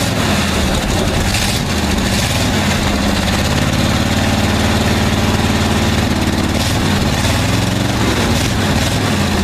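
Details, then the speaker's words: 1959 Chevy Viking 60 tow truck, first start after about 12 years sitting, engine electrics reworked: deep, loud V8 idle with a couple of brief blips, then an even, steady beat; normal idle. "hold up it's alive so got another one running"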